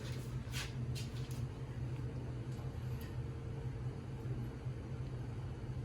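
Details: 1968 Camaro V8 on second start-up, Holley EFI missing correct injector data, idle needs adjusting: deep steady even idle with smooth low rumble, no knocks or misses; slightly smoky from oil in cylinders, oil pressure reads error; normal idle.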